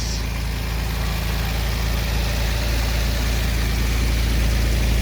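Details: 1946 Chevrolet pickup straight-six at warm idle after a coolant leak patch: steady low idle with even firing pulses, about four per second, and no stumble or knock; idling normally with no active leaks.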